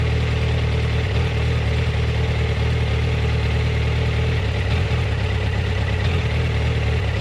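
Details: Yamaha FZ1 warm at low rpm: low, uneven idle stumbling and dipping every few seconds, jerky at low rpm; coils tested in spec cold, spark plugs about 6000 km and 2 years old; problem intermittent, cause unknown. Rough idle.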